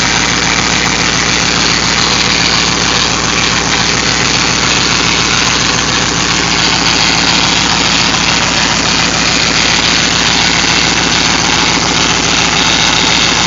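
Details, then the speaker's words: Hemi V8 after an aftermarket cam install (timing was off on a previous cam job), at idle with the power steering drained: a steady high whine over the engine from a low-fluid, aerated power steering pump. Fluid is being added. "here sounds like this power Ste talk with making that noise yeah that's what it is I drained the power steering it's just whining isn't it"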